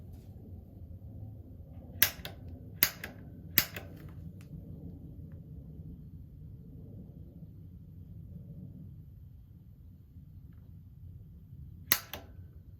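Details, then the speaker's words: A.O. Smith GCG-50 gas water heater after its bad gas control valve was replaced: relighting the pilot, held about 30 seconds to purge air, while the igniter button is pressed; faint sharp snaps about a second apart over room hiss; piezo igniter sparking normally. "and then i'm gonna start hitting the igniter button and if you listen very carefully you'll hear it spark"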